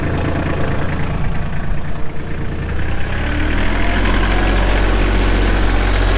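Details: Kubota L3240 4WD tractor with loader and a 32 hp pre-emissions Kubota diesel, 94 hours: a low, steady diesel rumble settling into an even idle after starting, with no knocks, misses or odd noises.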